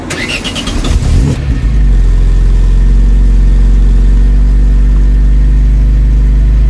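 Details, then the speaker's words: Vauxhall Cavalier Mk2 after welding up the original exhaust: starter cranks, engine settles to a deep steady even idle without rasp or blow, far better than before; normal exhaust note. "Damn sight better than what it did before. It sounded absolutely horrendous before."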